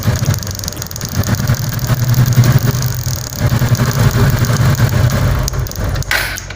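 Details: TVS Apache single-cylinder after spark/CDI checks, low on petrol: running with a low, steady putter and throttle blips, picking up cleanly; engine sounds healthy.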